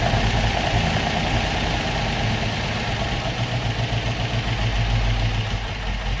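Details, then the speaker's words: Opel Manta hatchback with Ascona front end, stored about 20 years, idling on its own after its first start, still on the old plugs: an even, steady low thrum with no misses or knocks, a normal idle. "happy days that was not bad for a car that has been stoed for 20 years I thought it was going to be a lot harder to get started than that"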